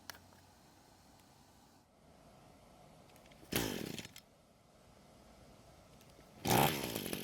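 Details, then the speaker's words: Echo string trimmer left unused a long time, possibly stored outside, with fuel reaching the bulb: two brief bursts of firing die within a second, even at half choke. It is running lean and will not keep running, before the carb is serviced. "so what you just saw me do was to move the choke to halfway in an attempt to see if more fuel and less air would help it out but it didn't"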